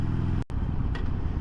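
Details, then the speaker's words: 2022 Harley-Davidson Sportster Iron 883, about 1,600 miles, stock exhaust, riding: deep lumpy V-twin rumble, brief power drop and a single light click on each shift including downshifts; normal audible gear-shift clunk. "yep and you can hear it downshifting so audible clicks when you're shifting which is nice because you want to know hey am I in gear or not"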